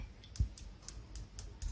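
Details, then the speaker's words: Biasi M90 24S boiler: a good micro switch clicking crisply six times in two seconds, as it should; the faulty switch was damp, and its lever stuck and would not click up. "Here's another micro switch. This is what it should do. Hear that click?"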